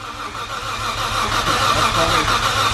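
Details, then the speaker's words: Nissan Skyline R33 with RB26, first start attempt: even, steady starter cranking with regular churn and no firing at all; tester shows fuel present but no spark. "So, it seems as if we're not getting spark."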